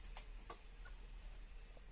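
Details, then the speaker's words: Bosch pyrolytic self-cleaning oven with normal (non-LED) bulb: two crisp relay clicks when the light is switched on, but the lamp stays dark even with a new, tested bulb; the control board's lamp circuit has failed. "And whenever I turn on the light, for example, it doesn't want to light up."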